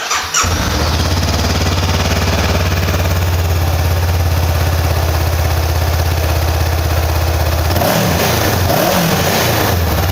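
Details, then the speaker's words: Honda CBR500R twin with 91 km on the odometer, starting first try and idling: smooth, even burble with a clean rev blip, no knocks or rattles; healthy engine. "주행 거리가 짧기 때문에 일발 시동 당연히 걸리고 엔진에서도 지금 들어보시면 잡소리 없이 깔끔한 컨디션을 가지고 있습니다"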